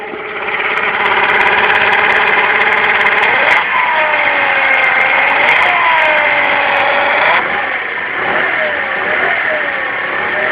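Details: KYMCO Agility 50 scooter, noise near the rear wheel/CVT appearing while riding: strong buzzing whine at idle that rises and falls with throttle blips; cause unknown.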